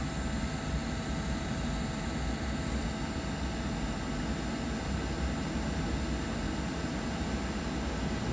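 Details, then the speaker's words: Trane XC95m TUHM modulating gas furnace during gas valve setup. It fires at 65%, then is forced to maximum and ramps up faster than it ramped down. Steady, even roar of inducer and burner with no rattles: normal high-fire operation. "You can hear it modulates up a lot quicker than it modulated down. Right here we go. Modulating up."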